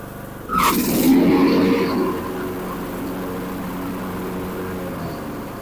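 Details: Craftsman T1400 riding mower, after gas-in-oil from a leaking carburetor was fixed, about to be run 20–25 minutes to seal head gasket; brief surge as it catches, then smooth even steady idle, no knocks or misses. Normal running.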